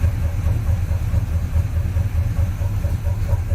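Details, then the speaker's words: After header collector leak repair, heard from the rear, pipes not run fully back: steady low exhaust burble at idle, even pulses, no ticking or puffing; header leak sealed. "or fail quad that's what it sounds like pipes don't come all the way back it'll sound a little bit better then"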